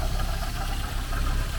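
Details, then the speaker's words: Porsche 924, just revived after sitting for some time, fuel flushed: rough idle with loose, rapid chattering rattle from low in the engine bay; owner suspects a too-loose belt. "I guess it is running and it is idling there's some weird noises coming from down here I think I think that belt's too loose"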